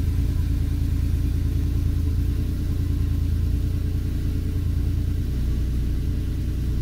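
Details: 1986 Porsche 911 Carrera 3.2, warm-ish after sitting 2-3 hours; steady, uneven starter churning for about 5 seconds before firing, a hot-soak extended crank that does not occur on a cold start or a quick restart; runs great otherwise.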